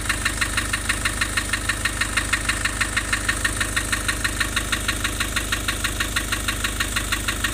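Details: Nissan Urvan Estate with ZD30 (E25) diesel at idle: sharp regular tick about three times a second and an uneven, shaky running note; rough idle with white smoke, from compression loss.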